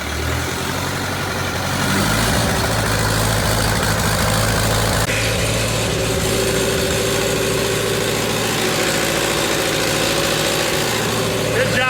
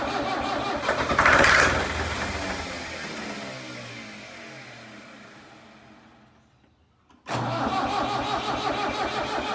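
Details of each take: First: Tractor abandoned three years, after fuel line and pump work, with fuel reaching three of four cylinders; steady diesel idle with an even low beat, no misses or knocks; normal idle, much better than before. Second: Tractor abandoned three years in a meadow, with fuel line and fuel pump problems, primed with fuel; fires briefly, revs, then winds down and cranks again without catching; fuel starvation, owner unsure if throttle or shut-off is set wrong.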